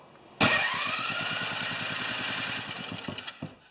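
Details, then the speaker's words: John Deere TRS 24 snowblower, freshly AC-welded starter tested on the small engine before fuel is added: starter whirs in high-pitched and spins the engine with even chuffs about three a second, then winds down; starter working normally. "Well, first of all, we'll see if it goes round and round, right? Okay, that's exactly what that's supposed to sound like."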